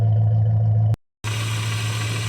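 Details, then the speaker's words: 1969 Dodge Dart GT V8 with new carburetor, started after about 12 years sitting, idling in neutral: deep, even burble with steady low rumble, no knocks or misses; healthy idle. "Yeah, starts up pretty easy. Let's go ahead and put it in neutral. Let's see if we have any uh fluid. That new carb's great. It just starts right up."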